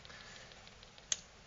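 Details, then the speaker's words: Dick Smith XG4182 10in digital photo frame on its 12V adapter (measures about 12V): faint rapid ticking, about six or seven a second, heard as pulsing from the speakers. The internal supply section likely keeps starting up and shutting down. "what that suggests to me is that um something in the the power supply section uh internally is likely having a hard job starting up and is constantly uh shutting down uh due to some fault um and starting up and shutting down"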